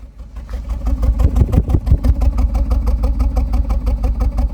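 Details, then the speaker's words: 2010 Ford Focus 2.0, warm after ~10 miles, no engine codes, plugs and coils fine, whole engine vibrating: deep uneven chuffing at the tailpipe, about three pulses a second; rough idle from restricted exhaust, catalytic converter clogged and glowing orange. "oh wow my Catal of converter is bad it was glowing completely orange"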